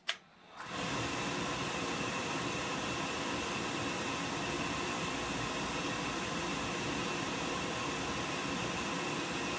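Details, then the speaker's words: Oil-fired whole-house furnace after a setting adjusted to about five and a half: steady fan and motor whir with no flame roar building; burner timed out after 90 seconds — motor runs but no ignition. "no this timed out for 90 seconds it's been time 90 seconds"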